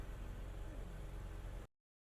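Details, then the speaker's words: 2000 Jeep Wrangler TJ 4.0L after replacing serpentine belt, belt tensioner and idler pulley: brief, quiet, smooth idle with no squeal, chirp or rattle from the belt area; belt drive healthy after repair. "And that's pretty much all there is to it. Sounds good."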